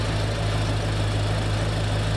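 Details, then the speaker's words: 1968 Pontiac ambulance converted to an Aces Killshot throttle-body EFI, idling with a smooth, steady, even low rumble on a chilly day of about 38 degrees. "Listen to that. Smooth as silk."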